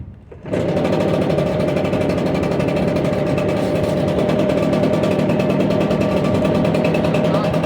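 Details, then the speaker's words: Echo PB770H backpack blower, restarted after hard running and a half-hour rest to test its hot-start problem: fires within a second and settles into a steady, even buzz; it now starts properly. "That was the very first one, so at least they start up now, which they weren't doing before. That one's good to go."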